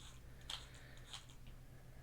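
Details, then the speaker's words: HPI Savage XS Flux RC truck, motor and transmission removed, transmission turned by hand; sharp gritty crunches about half a second apart; spur gear found missing many teeth with metal chunks inside; diffs spin smoothly. "I can feel that crunchiness is definitely inside the transmission somewhere."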